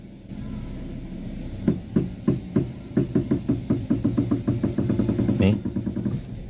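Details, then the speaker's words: Front-wheel suspension of a car heard while steering left or right: sharp "tek tek" ticks that speed up to about two a second as the wheel turns, possibly from a worn tie rod end. "itu bunyinya ya, Teman-teman. Bunyinya tek tek."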